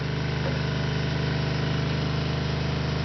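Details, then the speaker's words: RV water pump switched on to pressurize new PEX plumbing: steady low electric drone with fast even pulsing, about two beats a second; owner suspects it is not primed and not drawing water. "It's sucking. Actually, it sounds like it's not primed."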